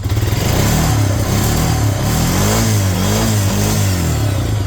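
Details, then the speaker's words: Honda Rancher 400 AT ATV (dealer trade-in that wouldn't drive) after fitting a new slip-on muffler in place of a cut-off old one: revs up and settles smoothly with an even, muted exhaust note, no rasp or blowing, quiet and normal running. "well we'll slip on this new one see if it's quieter nice and quiet again sounds like it's supposed"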